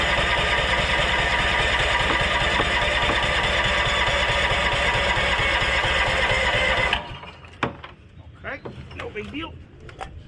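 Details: Roadside-found Honda Harmony lawn tractor, first start after sitting, carburetor not cleaned: small single-cylinder thrumming at a steady even idle for several seconds, then shuts off cleanly; engine runs fine.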